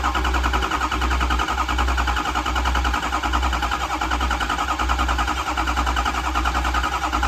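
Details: Ford 6.0 Power Stroke diesel; starter turns the engine over in a steady, even churn the whole time but it never fires or catches; crank, no start.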